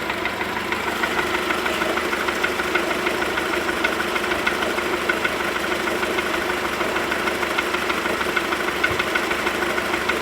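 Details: Cold VW Golf 4 1.4 petrol engine at idle: a quick, fairly even knocking of about three per second over the steady engine note; the source has not been pinned down yet.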